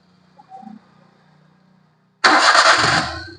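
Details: Maruti Suzuki Alto that had cut out while driving and would crank but not start: after a short quiet spell it catches at once, revs cleanly and eases back with no stumbling or misfire; normal start.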